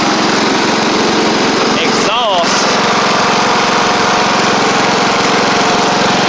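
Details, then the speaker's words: Sabre riding mower after repair (drive belt and blades replaced, a large oil pool cleaned up) holds a steady, even idle with no misses, knocks or surging. The smoke is a ton of caked-on oil burning off through the exhaust. Otherwise it runs fine. "but regardless y'all see that it's running fine otherwise so uh just a ton of oil that needs to burn off"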